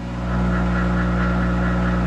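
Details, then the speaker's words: Monarch 10ee lathe electronic drive at slow speed around 200 after top speed and speed compensation trimmed, belts backed off: steady, even hum with constant low tones, no surging or hunting; running smoothly. "oh that's working good even you know send the top speed made that better"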